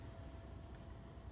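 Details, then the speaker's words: Trane XC95m TUHM modulating gas furnace during gas valve setup. It fired at 65%, then modulated down to low fire. Quiet, steady low rumble and faint even hum with no surging: normal low-fire operation. "This one, as it fired up and then it modulated down."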